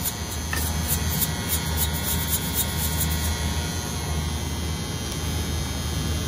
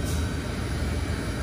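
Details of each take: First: Reach-in freezer reported as noisy: steady low electrical buzz of constant pitch from a faulty contactor in the control panel, a two-pole contactor. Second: Commercial reach-in freezer running normally with an even low rumble after the buzzing contactor was replaced with a relay; no buzzing or humming.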